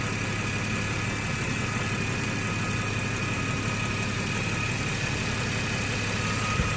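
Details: 2014 Ford FG XR6 idling after the alternator and power steering pump O-rings were replaced. Charging now reads about 14.5 V, up from a falling 12 to 10 V before, so the alternator was the fault. Even, steady idle with a low hum and no ticks or wavering: normal idle.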